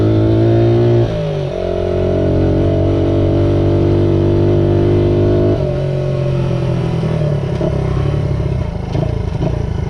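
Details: Restored 1978 Honda XR75, last run around 1989, ridden after a misset adjustment was corrected per the manual: the small single revs cleanly and pulls steadily through gear changes, firing evenly with no misses; normal running.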